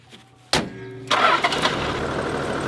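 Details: Touring vehicle just after an oil and filter change: brief starter whirr, then the engine catches cleanly and settles into a steady, even idle. Healthy start.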